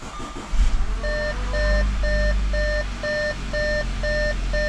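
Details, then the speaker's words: 2014 Audi Q5 2.0T TFSI Premium (code P2293, noisy rattling mechanical fuel pump) after replacing the pump and cam follower and priming: steady low idle rumble under a repeating dash chime, no stumble or misfire; engine running normally. "And now it's running. So it's primed, ready to go."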